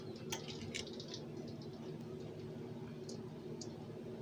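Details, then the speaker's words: Orange-oil distillation rig, heating element pulsed a few seconds at a time: scattered sharp crackles and pops over a quiet hum as water absorbed by the mineral oil bath boils out before temperature rises above water's boiling point. "I'm not sure if you can hear the crackling sounds, but for some reason the mineral oil seems to absorb water from the air, and the first thing I have to do is boil that water out."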